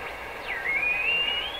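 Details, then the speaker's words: Rogers 11RA651 shortwave tube radio during paper capacitor replacement: a thin whistle over steady hiss swoops down, then climbs as the dial moves, sitting right on top of a station; the heterodyne whistle problem remains. "we still have the this heterodyne problem that's right on top of a station."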